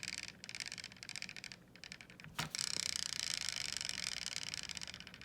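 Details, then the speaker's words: Xiaomi Mitu stroller, right rear wheel lifted and spun: rapid light ticking once per turn, slowing as it coasts, as the foot-brake pin protrudes more than normal and catches the wheel, risking wear to the plastic parts; left wheel spins silently. "That is the sound of the pin protruding out and catching onto the wheel."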